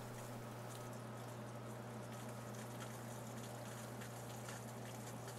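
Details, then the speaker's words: SaluSpa/Bestway inflatable hot tub pump after replacing a broken impeller shaft that caused an E02 error; low steady hum with soft water trickle, even and quiet; normal pump running after repair. "after hooking everything back up I'll turn it on and see what happens ah nice and quiet just how it should be"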